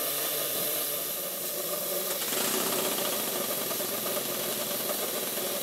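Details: Modified Stuart 7A vertical steam engine on the bench, steamed from a vintage Stuart 504 boiler, just retimed and centred: soft, steady chuffing about four beats a second under constant steam hiss; running smoothly.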